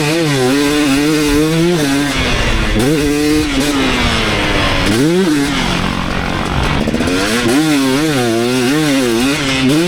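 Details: 2019 KTM 250SX two-stroke after Lectron Billetron 38 Pro carb tuning: revs rise and fall cleanly tracking throttle, no pinging or hanging revs, running properly; only tiny detonation noticed once the bike got hot.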